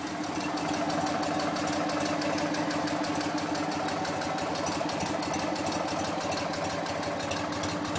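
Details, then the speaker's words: BMW R50 motorcycle, first start after full restoration, on the restoration table with cooling fan: even, steady boxer-twin idle with a smooth, regular beat, no tapping or misfire; occasional backfire said to be normal. "Oh, okay. Wow. I can't believe it's working."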